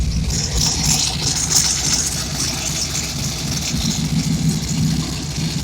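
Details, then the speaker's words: Steady idle with light quick puffing tick and slight surge; small exhaust leak at passenger-side collector remaining after resealing exhaust and raising a low spot. "then I've got one little leak left on the passenger side. I've been working all day trying to fix it."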